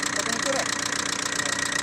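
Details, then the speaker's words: Diesel engine idling after a cylinder head job: rapid, sharp ticking over the idle, steady with engine speed, like something touching, valves or pistons; suspected bad head or wrong timing, traced to incorrect timing causing valve-to-piston contact. "دخلها عملها جو كلاس وخرجها التكتك كانه حاجه تمس كانها سباب ولا كانها بيستون وقت سمعناها عرفنا اللي ف حاجه يا اما الكلاس ميت وس الاخر ولا مسبو غلط"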